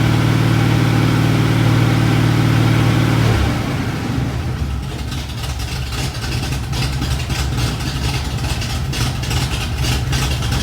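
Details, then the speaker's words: 1986 Ford F150 with freshly rebuilt 5.0L (1996 Explorer roller motor, shaved GT40P heads, E-303 cam, long-tube headers, Edelbrock AVS2 carb, HEI) after a bottom-end failure: strong, even V8 rumble settling to a smooth idle, no knocks or misses. "it's running great and better than ever motor sounds good runs good"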